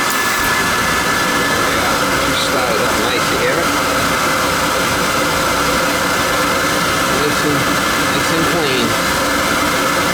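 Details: Riello oil burner after annual service, firing on a heat call: steady even roar with constant hum, no pulsing, sputter or rumble, burning cleanly and running normally.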